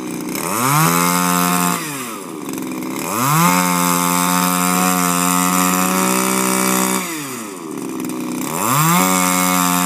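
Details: Refurbished Shindaiwa power broom with new carburetor, gaskets and recoil, no air filter fitted: small two-stroke revs up cleanly, holds a high steady buzz, drops back about every three seconds, picking up crisply. Healthy running.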